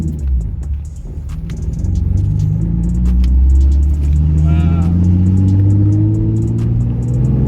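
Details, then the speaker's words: Nissan 350Z after fixing a P0300 misfire code, no engine light on, driving: the engine pulls cleanly up through the revs with a smooth rising note and no stumbles or pops. The misfire is gone and acceleration is normal. "That feels way better about the misfire though. Yeah, you should have been driving with misfire, so yeah. This sounds way better now."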